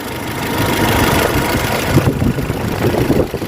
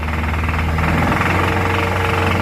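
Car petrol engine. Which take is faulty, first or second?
second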